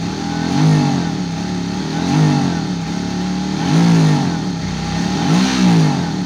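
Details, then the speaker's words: Suzuki DL650 V-Strom, before pump refill change: repeated throttle blips, revs climb unevenly and stumble, worse when hot; fuel pressure drops toward zero from clogged high-pressure fuel filter. "Fazendo uma oscilada, mas quando esquenta pior."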